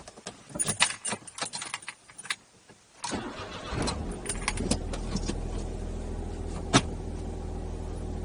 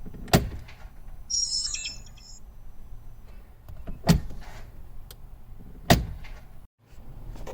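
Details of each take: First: 12-year-old Smart Fortwo 451 Brabus after the clutch actuator was cleaned and regreased (clutch adjustment kept failing): engine fires and settles to a steady idle, then takes gear and pulls away cleanly with no clunk or grind. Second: Smart Fortwo 451 Brabus whose clutch actuator intermittently won't engage reverse or forward gears, recorded before cleaning and regreasing it. Short, high electric whir of about a second between selector thumps as the actuator strains to engage reverse.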